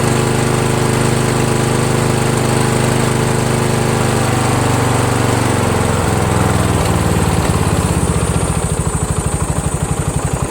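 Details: Toro Wheel Horse 1238XL lawn tractor after replacing a slow-cranking starter (suspected burned coils) with a used newer-style starter, battery 12.7 V: cranks and catches quickly, steady even thump; normal start and run.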